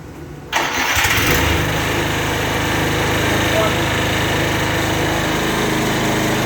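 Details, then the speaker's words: Murray riding mower with a Briggs & Stratton engine, test run after reassembly: it catches at once and settles into a steady, even putter with no misses or knocks; it starts and runs fine. "well runs pretty good"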